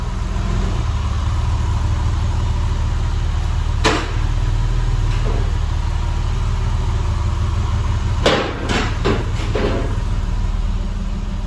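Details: Porsche 996 Carrera checked for misfire: a steady, even low idle hum with only a few stray knocks from the workshop; it runs clean with no misfire.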